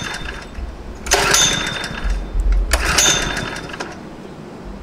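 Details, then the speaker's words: Honda WB20XT water pump, GX120 engine, nearly new but stored two years with fuel left in tank and carburetor: two pull-cord rips spin the engine without firing; no-start, owner suspects dirty, clogged carburetor. "see that it's not working at all it has some gas in the tank but i i guess the carburetor is is is is dirty or they disperse the valves they probably like get got clogged"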